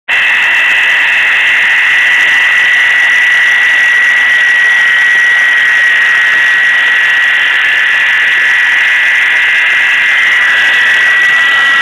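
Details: Ford Crown Victoria Police Interceptor engine bay: loud steady high-pitched screech with a rasping edge from a failing idler pulley bearing; problem fixed by replacing the idler pulley.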